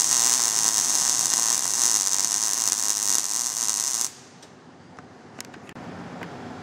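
Steady, even frying crackle for about four seconds, then the arc cuts off; a smooth, well-set short-circuit MIG arc.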